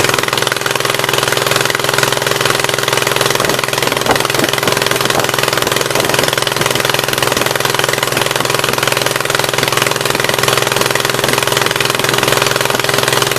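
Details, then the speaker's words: 1976 Gravely 816 twin restarted after a dose of penetrating spray (Blaster): uneven, choppy idle with a loping beat about three times a second, the left cylinder now only partly firing. "So it's kind of running on that left side now, but not totally."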